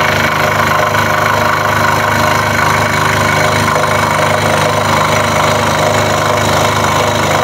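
Steady fast rattling tap over the saw's constant drone; the workpiece is bouncing against the table as the blade strokes.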